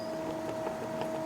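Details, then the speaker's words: Toyota Vios NCP93, about 15 years old, noise when first pulling away: rack rocked by hand, microphone held close, gives irregular light knocks; steering rack shaft has free play in the rack body. "So kat sini kita boleh tengok ni untuk king ser ni kita goyangkan ni memang rasa kuat ni."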